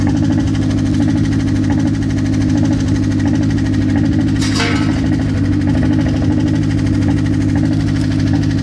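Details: Mazda engine at steady idle after sitting for some time, with a faint, irregular tapping over the low hum; a knock of unclear cause.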